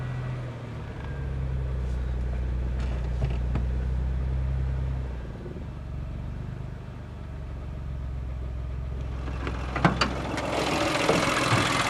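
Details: Geo car that bogs down when given gas, as if running on one cylinder, and dies when lifting off the throttle; low, lumpy idle that sags midway and picks back up unevenly, rough running, cause not clear.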